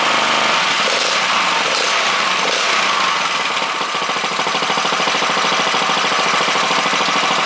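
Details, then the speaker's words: 98cc single-cylinder gasoline engine for a JC Penney Bird minibike, bench-run with its exhaust on. It pops along in a quick, even patter with a fairly quiet exhaust; it idles cleanly and sounds healthy. "I just want to know what it sounds like with the exhaust and everything on it. Very quiet."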